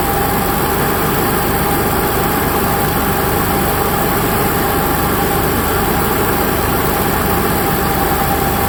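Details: Onan Cummins QG 7000 (HGJAB) generator restarted after fuel pump re-primed with an emptied float bowl, no load: steady, even drone with constant hum, no knocks or surging; normal running.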